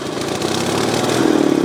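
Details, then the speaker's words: 18hp Briggs engine when the throttle is punched: the note stumbles and climbs slowly instead of picking up crisply, bogging and breaking up at both the low and high end of the power band. "okay i'm gonna try to illustrate the problems i'm having with the uh engine 18 horsepower um not smoothly accelerating and uh having to kind of nurse it in the middle if i punch it here's what happens"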